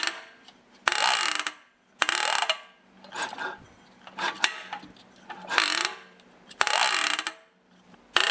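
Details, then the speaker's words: Briggs & Stratton engine turned over slowly by hand with the valve cover off, won't run properly: bursts of cranking with a sharp ratcheting click every few turns. Inside the sump cover, a plastic gear, identified as the one driving the governor, is damaged. "it's making a really funny noise when I turn it over and it will not run properly now listen carefully after a few turns it's going to make a click noise"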